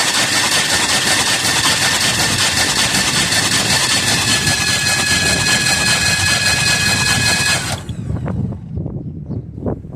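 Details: 1978 Chevrolet Custom Deluxe truck after sitting about 21 years, engine freed by hand, battery connected, spark plugs out: starter spins engine quickly and evenly, no binding or hesitation, then stops. Normal free cranking.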